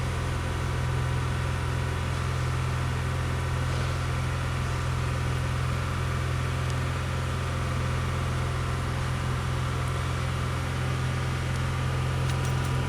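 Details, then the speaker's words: 1995 Pontiac Grand Prix SE after replugging IAC valve: steady raised hum not dropping to normal idle; persistent high idle, owner hopes no calibration needed (no OBD1 tool), later slowly coming down. "all right that not really what i was expecting for it to do hopefully there's not like some sort of uh calibration that's got to be done"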